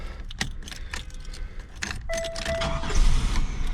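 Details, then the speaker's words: 1998 Buick LeSabre with a VATS key, after a crank no start fixed by replacing the ignition control module and its burnt connector: clicks and rattles, then a quick crank, and the engine catches and runs steadily; normal start. "car starts right up it's running"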